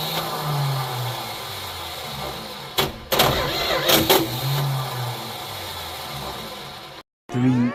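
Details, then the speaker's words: 1972 Plymouth Fury I after years of neglect, new points, cap, rotor and plugs, gas poured down carb: repeated cranking with brief catches and stumbles, never starts; spark doubted, starter sounds worn, flex-plate noise noted. "Well, that's a major bummer. Wonder if we're even getting spark."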